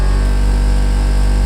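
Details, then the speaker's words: 1990s Mack dump truck, newly installed heater/AC blower motor, blower wheel set screw repositioned for quietest result; on high speed a loud steady low hum and drone persists, low speed quiet: blower motor noise at high speed. "And if you can hear it, this is the quietest that I could get it. This is the quietest that it's been, but high speed"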